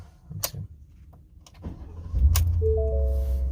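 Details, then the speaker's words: 2020 Ford F150 5.0 V8, rear-wheel drive, key start: quiet clicks, a quick crank, then it catches and settles into a steady, even low rumble; starts clean and idles healthy. "Sounds great. Sounds beautiful."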